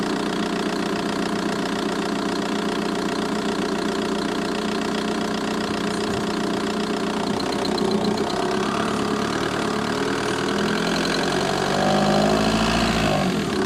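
Diesel idling with a light, fast tick riding over the clatter, about four per second, staying even; a ticking fault somewhere in the engine bay.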